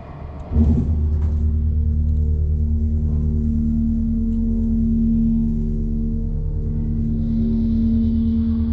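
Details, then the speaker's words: KONE parking elevator with CJ Anderson fixtures, International Plaza mall, Tampa, FL, going up: dry-powered pump motor makes a steady deep droning hum with no knocks or grinding; loud pump motor hum, low on oil. "alright let's listen to the motor I hear it's something quite epic"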